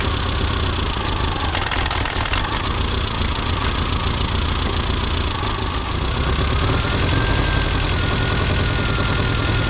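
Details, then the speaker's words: Classic Mini Cooper RSP being tuned. Twisting the distributor slows the engine into a lumpy idle that sags and won't pick up; the timing is off, with a target of 5° at 1500 rpm with the vacuum disconnected. "just see what happens with giving the distributor a little little tweak antiock wi definitely slow the engine"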